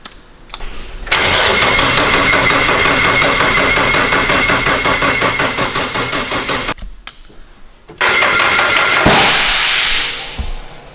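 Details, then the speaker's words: Freshly built Nissan SR engine cranking at first start. An even, fast chug of about three beats a second, but it never catches: ignition timing was off by 180/360 degrees. "yeah timing's off all right timing's off okay"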